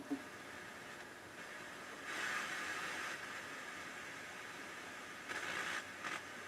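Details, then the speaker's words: Rotel RX-802 vintage receiver, FM tuner section: only soft hiss with louder hissy swells while tuning, no station coming through, crackly and distorted with a loud background hum. Owner suspects weak power; the FM tuner has problems. "nothing sounds like ifm has a problem picking anything up my zero in on a station just gets crackly and distorted"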